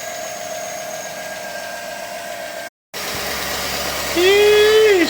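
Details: 2010 Chevy Tahoe after DOD/AFM repair, new head and Melling 10296 oil pump, first start after fuel prime: smooth, steady idle with even hum, no ticking or knocking; normal idle.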